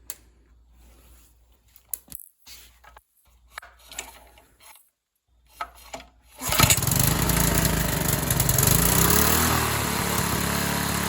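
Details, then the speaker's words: Free Briggs & Stratton 3.5hp edger engine, model 091202, with carb issues (stripped bottom carb screw fell out): a few quiet clicks, then it catches into a steady, even single-cylinder putter; runs normally as it stands. "But as of now, it runs, you know, as it should in the state that it's in. So, we'll fire it up quick."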